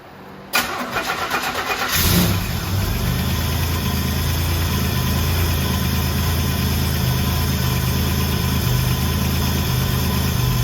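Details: 1984 Buick Grand National with a rebuilt 140 block and fresh cam, first start after the rebuild with the coolant system filled: the starter cranks briefly, then the engine settles into a steady, even idle with a smooth low rumble. Normal start and idle.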